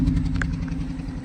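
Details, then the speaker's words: 2015 BMW 118i Sport 1.5 at idle with engine management and drivetrain lights on, flashing: lumpy, uneven idle with heavy low rumble stumbling irregularly, excessive vibration, gear stick flopping; permanent misfire, cause not found. "Engine management light is on, drivetrain light comes on instantly, faults all over the dash, gear stick is flopping around because it's misfiring. You can hear, here's the registration, you can hear it's running rough."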